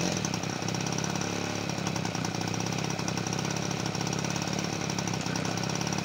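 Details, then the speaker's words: 1977 Peugeot 103 V moped after restoration, first start in a long time on full choke: raspy two-stroke buzz surging and dipping, not holding idle; cause unclear. "pour l'instant ça tient pas le ralenti j'ai rien"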